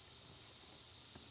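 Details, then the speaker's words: Nissan Sentra with Evap leak and P0420 codes, engine off, fuel pump access open, mic near tank: faint, steady high-pitched hiss with fuel smell; evap leak at fuel pump sending unit O-ring seal, to be replaced. "You hear it? Okay, so it's actually the fuel pump, fuel sending unit seal that's leaking, and that's what's causing the Evap leak."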